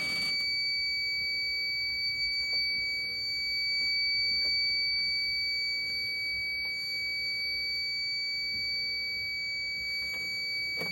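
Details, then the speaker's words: Alarm panel on a custom programmed zone, still in pre-alarm about 25 seconds in: a steady piercing high buzzer tone while the main alarm never sounds; owner suspects the pre-alarm delay or a disconnected buzzer. "apparently it's like 25 seconds cuz it's still still in pre- alarm or the buzzer came undone one of the two it should be going off by"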